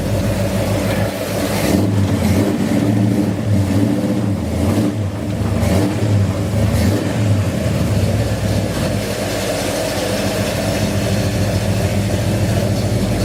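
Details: 1969 Dodge Dart 440 V8, TTI headers, electric exhaust cutouts opened: loud rumble climbing and falling through blips, then settling to steady idle; runs clean and healthy.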